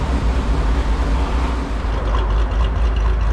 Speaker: All right, listen to that idle now, man. She's definitely a little bit lopier than she was before. Sounds ridiculous at this point.